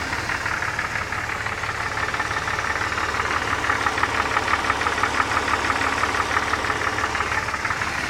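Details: Idling engine with a steady light tick about twice a second over the hum; knocking-type noise, cause not yet identified.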